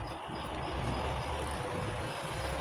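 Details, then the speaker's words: Chinese folding fan with switch and regulator, which had not been running, powered with supply leads soldered directly to plus and ground during battery replacement: steady, even whirring hiss with no knocking or scraping; motor spins freely, healthy. "দেখেন আমার ফ্যানটি চলতে শুরু করেছে already. Switch দেওয়া ছিল বলে ফ্যানটি চলতেছে।"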